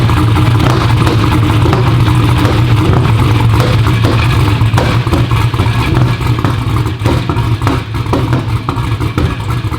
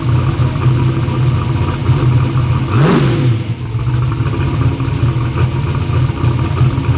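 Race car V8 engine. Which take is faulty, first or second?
first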